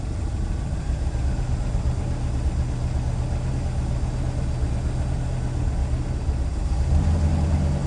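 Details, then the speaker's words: 1967 Lincoln V8 at idle on a cold morning (30s°F) just after start, freshly finished exhaust system: low, even rumble with steady beat, no rattle or tick; remarkably quiet through tight exhaust, normal idle. "right come on baby There She Goes she's trying there we go oh my gosh I can't believe how quiet it is can you hear it well that's the point you shouldn't really hear much of"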